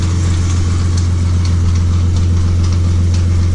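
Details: BMW E30 with M52B28 engine at idle: light, uneven tapping about twice a second over a steady idle; worn belt tensioner pulley.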